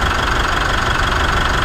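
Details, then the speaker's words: Mitsubishi Triton at idle, after sanding surface rust off an idler and light silicon spray (temporary fix for squeal): steady even belt hum, no chirp or squeal, running quietly. "so I'm going to start it up now you'll probably might hear it so that's good that's how it should be"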